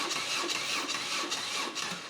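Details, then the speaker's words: BMW R1150RS motorcycle, previously severely overheated, crank-no-start: labored starter whirring at roughly two to three compression strokes a second, dragging and fading as the battery goes flat; compression seems good. "Ah, the battery's slowly dying. Let's get this battery charged up and try again."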